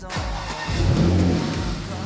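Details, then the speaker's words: Rebuilt wrecked Porsche Macan Turbo, first start after repairs with air intake refitted: catches at once and revs cleanly and strongly, no hiss or stumble. "so we got the car running to Temp it held steady at 200°"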